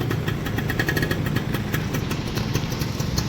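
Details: 2002 Yamaha F1ZR two-stroke, freshly restored to original orange-black, listened to after completion: crisp, rapid, even popping at a settled idle with no misses or rattles; normal healthy idle.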